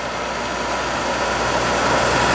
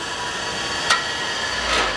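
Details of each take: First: Scrap-saved single-phase capacitor-start air compressor motor; the start capacitor circuit is pulled out manually while running, and current drops to about 4.1–4.2 A. Steady, smooth hum with no buzz; the start cap staying in circuit all the time was judged bad. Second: Scrap-saved single-phase air compressor motor coasting down after switch-off. A sharp metallic click as the centrifugal start switch drops back in; the switch is working normally.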